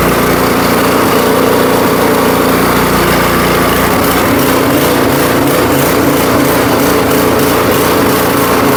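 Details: Powersmart 24-inch snowblower, 212cc single-cylinder engine, after repair following a customer's failed attempt, oil checked and fresh gas: buzzing at a steady, even speed with no surging or stumbling; runs normally.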